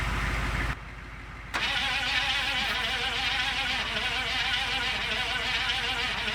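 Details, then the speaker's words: 1985 Chevy K30 CUCV diesel truck sitting 6+ years, engine had been seized then broken free, hooked up for more battery; starter churns over about four beats a second, uneven, labored, never catching; sounds really bad, no start. "we got it finally broken free and then went to crank it on it and it just sounds really bad."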